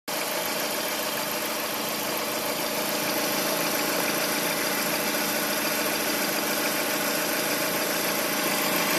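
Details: Lada Priora engine at idle, strange knock heard clearly after a rev; uneven tapping about three beats a second under a hissy background, origin unknown to owner; engine knock at idle.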